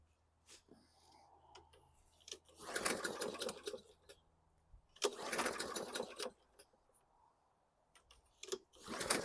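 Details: 2014 Bolens 21" mower, Briggs & Stratton 500E 140cc, new carb and recoil fitted, fresh gas, heavily primed: repeated recoil pulls, short whirring bursts that die away, never firing. Cranks, no start though it ran earlier; owner considers valve adjustment.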